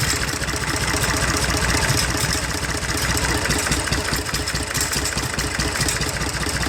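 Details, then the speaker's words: IH 484 diesel tractor with PLN injection, running after cold start: uneven loping idle with dropped firing pulse; cracking injector lines shows number 1 makes little difference, weak cylinder; odd intake sound also noted. Diesel misfire. "I don't know how well you can hear that, but there's something that doesn't sound right in the intake either."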